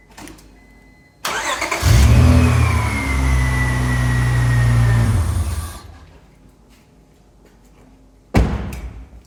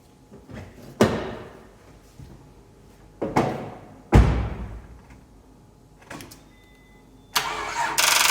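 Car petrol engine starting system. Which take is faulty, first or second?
second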